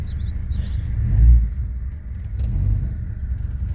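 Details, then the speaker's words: Mercury car, freshly rebuilt engine idling cold without a choke: low uneven rumble that swells and sags; very lean-running engine, surging idle, possibly low compression from barely broken-in piston rings. "it doesn't like to to run um when it's cold without a choke it's a very lean running engine um as is so it needs that extra bit of air shut off in order to to stay running"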